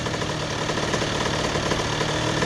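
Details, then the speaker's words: 2001 Honda CR80 two-stroke, previously suspected of knocking, after idle screw adjustment: light, quick, soft putter at low speed, steady with no hunting or rising revs. The idle is set right, a nice soft idle. "yeah that's definitely it a nice soft Idol you know what I'm saying"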